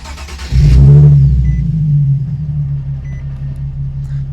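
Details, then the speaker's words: Nissan 370Z/G37, warm, after throttle body and MAF cleaning plus pedal, throttle and idle relearn: quick start with brief flare, settles to low steady hum at 600-700 rpm; normal idle. "car is already warmed up should so it should be idling where it's resting and as you can see perfect right on the 6 or 700 so yeah everything worked perfectly we're back at a good idle"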